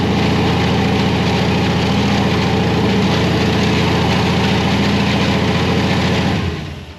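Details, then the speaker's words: Supercharged carbureted V8 Chevy C10 after vacuum leaks were fixed, needing less fuel: deep, even loping idle with no hunting or surging, doing what it should now that it isn't pulling air from elsewhere; normal running. "When it's not pulling air from places it's not supposed to be. Exactly. It actually does stuff it's supposed to. That's weird. It does stuff it's supposed to when it's supposed to."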